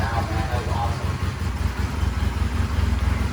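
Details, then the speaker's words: 1999 Honda Rebel 250 twin with dual pipes, sat a while, started with oil put in cylinders and idle turned up, some smoke: low, even burble, steady beat, no knocks or misses; sounds like a sewing machine, normal running. "I mean, this thing sounds like a freaking sewing machine. And the dual pipes, it's just awesome."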